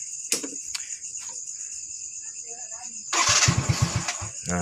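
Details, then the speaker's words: Yamaha Mio J scooter, fault code 79 (ISC leak), after a shop replaced the cylinder block and piston rings: fires and surges and sags without settling, won't idle, lacks power; unstable idle from wrong cam timing and misfitted piston rings. "tuh suaranya tuh, nggak stabil teman-teman ya. Ini coba kita lepas. Ini nggak bisa langsam teman-teman."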